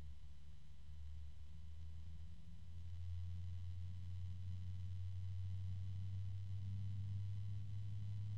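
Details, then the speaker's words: Thermalright TR TY-141 PWM fan running: steady low droning hum with a faint slow throb and audible rubbing, nothing high-pitched. Unwanted low hum; cause unclear. "now I can hear some rubbing and there's a low pitch"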